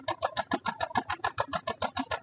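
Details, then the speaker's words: Chevrolet Beat petrol idling, heard at the silencer: lumpy exhaust with a steady tak-tak puff about seven times a second, one cylinder completely dead causing poor pickup; plug, wire, coil or injector still unconfirmed. "കേൾക്കുന്നുണ്ട് okay അപ്പോൊ ഒരു cylinder പൂർണമായിട്ടും work ചെയ്യുന്നില്ല അതാണ് ഇതിന്റെ ആ ഒരു feel നമുക്ക് കിട്ടുന്നത്"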